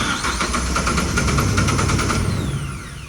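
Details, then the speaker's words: Combine diesel after fitting a replacement starter, sat outside, preheated, cranked indoors without starting: steady, even cranking about four turns a second with strong starter whir, no grinding or slipping; starter works. "Well, it's at least turning over. I'm not gonna try to start it in here. It's gonna smoke it up pretty bad"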